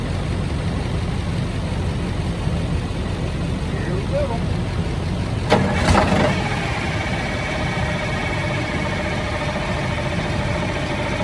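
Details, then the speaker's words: 1971 Insley excavator diesel, sat since 2000, restarted with throttle worked from behind; steady clatter and even rumble with a brief throttle blip mid-run, no misses; a supercharger actuator seems to have been the solution; normal running. "so that is what i'm talking about not too shabby uh yeah there's some little actuator on the supercharger that i need to understand better because that seems to have been the solution"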